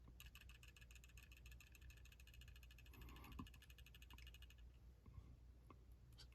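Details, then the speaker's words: Glock 23 Gen 3 pistol, swayed left and right: a light, quick clicking rattle with each sway, as if something were loose; it is the trigger safety dangling on its spring, which is normal. "There's no clinkiness, but when I go left, right, it sounds like something is loose."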